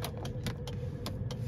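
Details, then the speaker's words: Renault Master air suspension compressor kicking in: a low steady hum with light ticks about five a second, normal operation. "kills the battery off um you've got those buttons there which i believe you hear the air suspension kicking that's the compress of the suspension"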